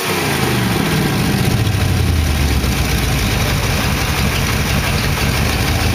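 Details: 1914 Dodge T-bucket roadster V8 with carburetors, warm after first start: low, even firing settles into a steady idle with no knocks or ticking. Good oil pressure; the lifters ticked at first start, then calmed down.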